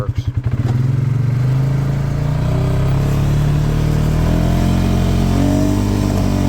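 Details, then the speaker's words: 2018 Polaris Sportsman 570, limp mode from code 520194-2 (open-circuit throttle safety switch) fixed by wiring two resistors into the plug, engine light still on: catches after a few chuffs, revs freely and holds speed; out of limp mode. "works seems good it's not in limp mode anymore"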